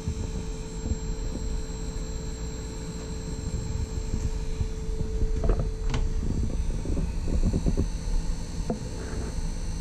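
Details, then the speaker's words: Taco 006 recirculation pump on a heated driveway/snowmelt hydronic system at 50–55 psi, air purged: constant low hum with faint steady tone, no knocking or grinding; owner unsure if normal, second unit sounds identical. "so i don't know if that's normal or if that would be considered loud the one over at the furnace sounds almost identical"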